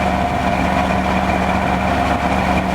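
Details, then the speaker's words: 1994 Chevy Astro van, first start after about 6 months sitting on a warmer day, heard at the rear exhaust: smooth, steady low rumble with even firing, no misses, knocks or ticks; not burning oil, running a little rich; healthy idle. "regular exhaust, not burning oil or nothing. Running a little rich, but what do you expect? It's sitting."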